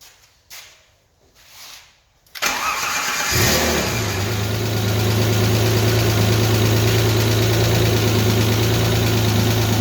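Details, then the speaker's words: Alfa Romeo GTV under restoration, 11-year-old fuel, after refitting a part found held by only one bolt: starter whirrs briefly, engine catches and settles into a steady, even idle with no knocks or misses. First start, normal. "yay, finally at long last, the engine lives."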